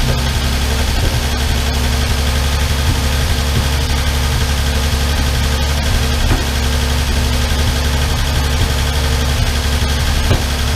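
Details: Armstrong Siddeley Star Sapphire special, hemispherical head, cold on choke just after first start in probably over 40 years: steady low idle with light, fast ticking from the top end. All tappets a bit loose and need resetting.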